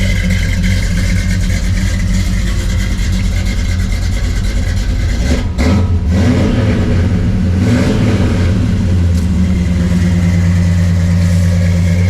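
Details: Blueprint 350 V8 truck with custom H-pipe exhaust, used for comparison: deep, lumpy rumble, brief rise in revs, then back to an even, steady idle; healthy.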